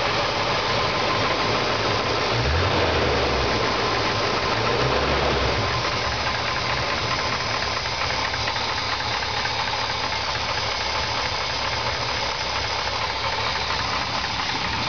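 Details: 1969 GMC C10 with 350 V8 idling, a steady knock about twice a second through the rumble; owner suspects a bad bearing, unconfirmed.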